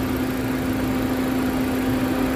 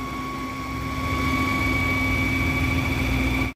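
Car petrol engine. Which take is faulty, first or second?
second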